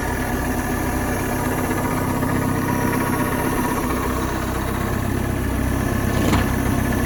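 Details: Starcraft boat inboard, stored six months, janky hot wire battery-to-coil; after spark check, on water hookup it idles with steady, even low rumble, no knocks, misses or surging, water coming out; normal idle, running very well.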